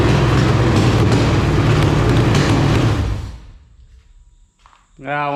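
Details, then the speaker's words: Roughly 1999–2000 LQ4 6.0L V8 with iron heads, a marketplace engine from a shot truck, run with temporary exhaust fitted: a strong, even roar on an overshot throttle blip that drops away cleanly with no knocking or clatter; normal rev, engine sounds healthy. "a little too far on the throttle there you got it home but oh man that thing sounded great it's just very quiet up here"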